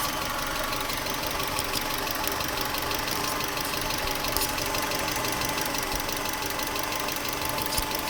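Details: 1996 Subaru Legacy Outback 2.2L EJ22E, 165k miles, fast light ticking over smooth idle, present cold or hot and quickening with revs, equal on both sides; appeared around last oil change with a different filter. Owner suspects injectors or valves, unconfirmed.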